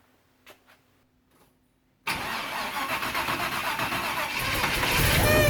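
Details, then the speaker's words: 1973 Buick Apollo with Chevy 350 small block after Holley carburetor swap, running poorly: engine cranks and catches, settles to idle with a thin high cat-like whine rising near the end; whine at start-up, source undetermined. "what and work making things sound like a cat whining ya hear that the heck was that mess"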